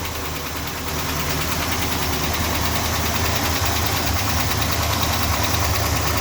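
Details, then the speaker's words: Freshly rebuilt Chrysler 440 V8 idling after removing and cleaning the lifters, lifters possibly not yet pumped up: steady, fast, light ticking over the rumble, now seemingly two lifters chattering; owner suspects lifters or a cam lobe. "that's say it sounds like we got two in there now not one chattering away"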